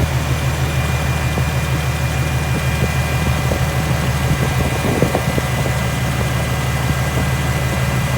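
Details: Infiniti/Nissan VQ37 (Q50/G37/370Z) after a serpentine belt replacement with a Gates K070795 belt: a steady, low, even idle with no squeal, chirp or slap from the belt drive; the engine runs healthy.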